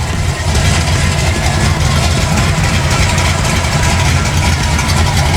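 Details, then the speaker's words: 1974 Chevy Nova with a 1972 front end, revived after sitting for years: a deep, even idle rumble holds steady with no misses or knocks. It is idling cleanly and healthy. "So you guys can hear the rumble now. We got this bad boy started. And you can hear that thing. It's talking to us."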